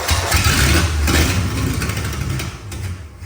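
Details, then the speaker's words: Engine of an abandoned Ford F100 field truck, run on carb cleaner with essentially no exhaust; loud, open, fairly even firing for a few seconds, sounds like a good healthy motor. "it's definitely a good motor though that sounds great"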